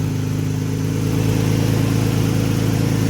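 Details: Nissan Tiida alternator conversion (fitted to the Laurel), just after wiring the plug and battery light going off: smooth, even idle with steady low hum, no knocks, ticks or misses — normal idle, engine staying on.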